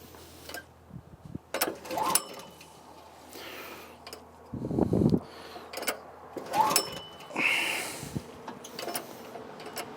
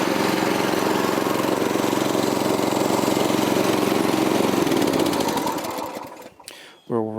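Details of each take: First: 1984 Troy-Bilt tiller repowered with 6.5 HP 212cc Predator engine (since about 2011), choke on, fuel on: several recoil pulls with brief cranking, no firing; spark plug reseated, new spark plug next as suspected cause. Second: 1984 Troy-Bilt tiller with 6.5 HP 212cc Predator engine on a replacement spark plug, later found loose and tightened: steady, fairly quiet putter with no knocks, then winds down at shutoff, sounds no different from last year; normal idle.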